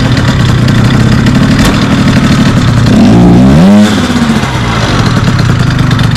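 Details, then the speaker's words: Small two-stroke scooter with the CVT cover off, started on the starter motor after the owner checked for CVT noise and possibly worn orange clutch springs; buzzy idle with one quick throttle blip, pitch rising and falling cleanly, no rattle or grind, normal running. "not too bad I got to say I love this little [Music] bike it's so small so unassuming but it absolutely rips plenty of punch"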